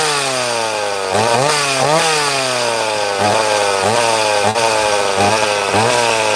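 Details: Chainsaw cutting wood after repair: revs up crisply, holds clean even pitch under load, dropping and recovering smoothly each stroke; running healthy.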